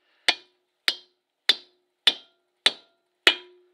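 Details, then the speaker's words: 1984 Chevy C30 ramp truck during a rear brake job, wheel stud hammered in. Six sharp hammer blows about 0.6 s apart; the last rings with a lower, lasting tone, showing the stud has bottomed out and is fully seated. "all right and you can hear that last hit how it changed that's what we'd like to hear that's when you know it's bottomed out"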